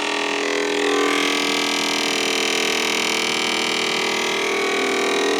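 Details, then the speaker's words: BP Microsystems Silicon Sculptor 3 device programmer just powered up: constant high-pitched, rough, rattly whirr over a steady hiss from the fan area; noisy cooling fan, suspected but not confirmed. "definitely needs fans can you hear that I think it's think is that fan"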